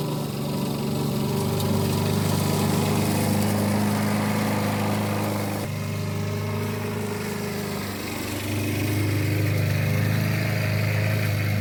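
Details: 1988 Alco push mower, Briggs and Stratton auto-choke engine, repaired from non-start (diaphragm, a common issue), cutting with the old blunt blade: even, steady buzz that dips briefly under cutting load and recovers cleanly; normal running.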